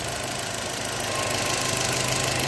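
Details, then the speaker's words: Crankcase breather with the anti-flame hose and air box tube removed at idle, strong steady rush of air venting freely; healthy engine breather, low flow would indicate a problem. "e tem um vento aqui ó muito intensa aqui eu respiro do motor galera eu espero que o motor aqui não pode ser aqui não pode ter é um baixo fluxo aqui tem que tá ventando galera"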